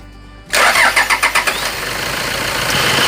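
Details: Tiger D4D diesel that cranked long on morning starts. After replacing parts and bleeding the fuel, a short crank of about four quick turns catches into an even clatter, starting cleanly now: normal start.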